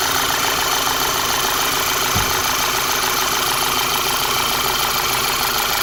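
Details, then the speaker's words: 2011 VW Tiguan after replacing the ignition coil harness because of a loose signal wire that caused cylinder 1 and 3 misfires; steady, even idle with smooth ticking and no stumble; started three times with no misfire; normal. "um all right we started it three more times it starts right up no misfire and we're going to call this epic"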